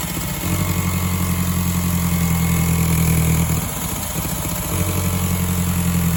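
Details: 2002 VW Golf GTI 1.8T AUM, 150 hp, 169,000 miles, cold start; uneven low throb that stumbles midway then settles, misfire on starting; owner suspects leaking secondary air pump system, coil packs not yet changed.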